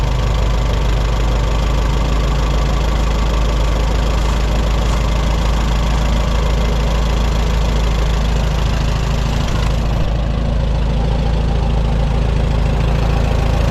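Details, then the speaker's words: 1954 Allis Chalmers WD45 tractor idling after hydraulic seal repair: soft, uneven rubbing under the engine note, seemingly from the bell housing, gone when clutch pedal pressed; input shaft, pressure plate, clutch or throwout bearing suspected, cause unknown. "I've got a strange noise coming from up here in the bell housing somewhere it's not a knock it's not a bang it's not a grinding noise it's more like a gentle rubbing noise and I just cannot figure it out"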